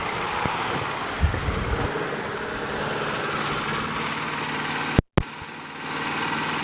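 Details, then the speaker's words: Craftsman push mower with Briggs & Stratton Quantum engine after winter storage, primed and started. Smooth, even drone at steady speed without surging or hunting; healthy governed running. "that sounds great now but that's how the engine's supposed to sound like that sounds fantastic yeah that and dissension sounds great rpms why"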